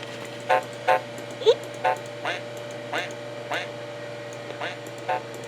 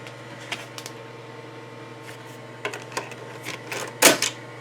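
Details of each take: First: 1991 Mac Classic after re-capping the logic board: boots to happy Mac, then sound fades out, returns, and distorts badly, with harsh crackly bursts about once a second over a steady low hum; owner suspects wiring harness or board. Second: 1991 Macintosh Classic, about 27 years old, after logic board recap, floppy disk inserted: quiet hum with sharp irregular clicks and whirring bursts as the head steps; floppy drive reading normally.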